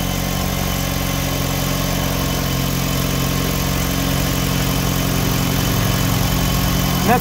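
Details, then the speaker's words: 2005 Hyundai Tucson GL 2WD, idling after replacing the exhaust manifold/catalytic converter unit and upper and lower O2 sensors: steady lumpy idle with a faint rhythmic puffing underneath; owner suspects a small exhaust leak at the bottom, to be tightened. "I mean it sounds like it's got it might have a little bit of a leak down at the bottom I'll tighten that down"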